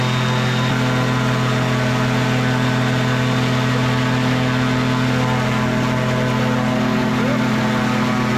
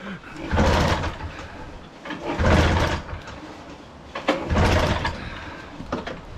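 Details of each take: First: Microlight two-stroke with three-bladed prop at high throttle: loud steady high-rev drone with prop at constant pitch, no surging or missing; held RPM with serious power, normal. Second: Marketplace-bought microlight with two-stroke engine and three-bladed prop, old possibly bad fuel: three pull-start rasps, no catch; good compression but won't start, needs throttle; plan is to drain fuel, clean carb, fresh fuel, check plugs.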